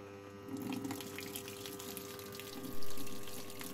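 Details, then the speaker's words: 11-year-old LG top-load fuzzy logic washer after drain motor replacement, quick wash on a small water level: a soft, steady rush of water filling the tub with one light thump. The inlet fill is normal. "water intake started close the dough and look for the rinse function"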